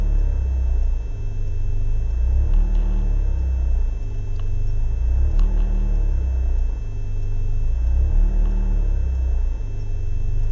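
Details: BMW E36 318is coupe, M42B18 petrol engine, rough idle whether cold or warm, rumble swelling and sagging about every three seconds; smoke and higher fuel consumption, no leaks, ICV and MAF cleaned; cause unknown.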